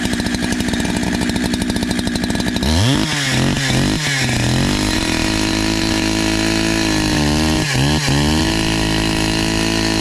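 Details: NEO-TEC NH872 71cc chainsaw (Husqvarna 372 XP clone), brand new with 28 in bar, after carburetor tuning: crisp two-stroke buzz rising and dipping cleanly on throttle blips and cutting a big log; strong, even running, now doing better.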